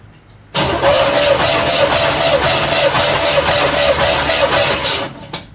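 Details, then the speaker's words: 1976 Chevy El Camino 350 V8 compression test on cylinder one; even regular starter cranking about four beats a second, gauge reaches 150 psi in three or four rotations; normal cranking compression. "should only need to go over three or four times of rotation look at that 150 psi"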